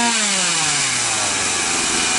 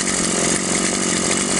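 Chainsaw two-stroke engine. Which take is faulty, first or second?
first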